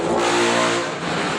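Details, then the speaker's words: Honda TMX 125 single after valve clearance adjustment: smooth, even rev with a clean rising note and no tapping or rattle from the top end; the earlier noisy loose-clearance ticking is gone, healthy engine. "So ayan oh tumahimik na ho no."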